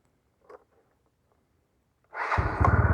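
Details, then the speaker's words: Carbureted motorcycle that had been hard starting and dying at idle, re-jetted from 110 to 120: one short crank, catches immediately and settles into a steady even idle; normal start and idle. "Yun. Ganda. One click."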